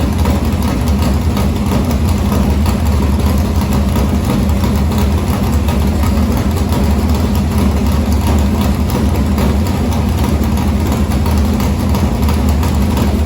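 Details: Morgan Machine-built open V8 (about 358 cu in) race engine in a Harris car, EQ heads, likely an Edelbrock Victor Jr two-barrel intake, started after sitting a week and a half to refill an unhooked fuel line: deep, loud, even lumpy idle held steady, no knocks or misses; normal idle.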